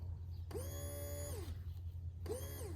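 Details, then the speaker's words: Electric fuel pump for a 1985 Toyota MR2, tested on the bench with a 12-volt Milwaukee battery. Two bursts of a rising whine that holds and winds down over a low hum; the good pump runs, unlike the dead original. Normal fuel pump operation. "You can hear it work, and this one just, you get nothing."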